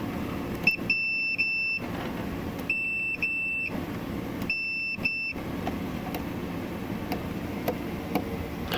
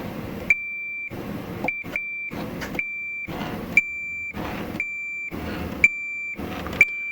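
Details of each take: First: Multimeter doing continuity checks inside a Farfisa O.R. 200 amp: high continuity beep sounds in bursts, then cuts out repeatedly even on parts already tested as good; the meter itself is faulty and dropping out. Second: Multimeter continuity test while working on a Farfisa O.R. 200 amplifier: clean high-pitched beep on each probe contact, cutting off crisply between touches. Continuity beep working normally, although the meter intermittently lost continuity on good parts.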